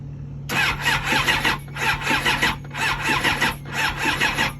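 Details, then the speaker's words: K2 Suzuki GSX-R 750 motorcycle starting: harsh metallic screech surging about once a second over low engine hum, sounds dry; owner suspects dry pistons or bad cams, not confirmed. "Shit sound dry as hell."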